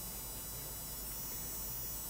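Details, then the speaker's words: Fluke PM6680B 225MHz frequency counter that won't power on, standby LED dim: thin, steady high-pitched squeal over low hum from the flyback switching power supply transformer, traced to a bad precision reference IC. "you hear that sounds very squeaky and now it's much much louder that of course sound is emitting from the the Transformer"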